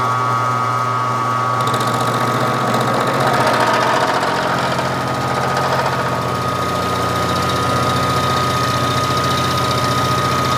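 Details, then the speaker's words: Machining 7075-T6 aluminium for a model 5-cylinder radial engine stand after lowering the spindle speed from wide open (too fast, squealing) to two steps down: steady, even cutting drone with no squeal, the correct cutting speed. "this is much too fast unless you want to hear it squealing on an NC machine it'd be fine you don't have to stand there and listen to it that's better"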